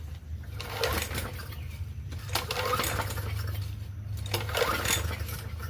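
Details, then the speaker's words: Free Murray push mower with 4.5 hp Briggs & Stratton engine, correct RJ19LM plug: a few recoil pulls, engine spins freely but never fires; cranks but won't start, owner suspects sheared flywheel key after a backfire. "Well, now it pulled over a little bit better. Nope. Nope. It wants to."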